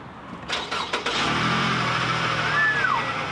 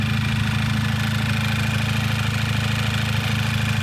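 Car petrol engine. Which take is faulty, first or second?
second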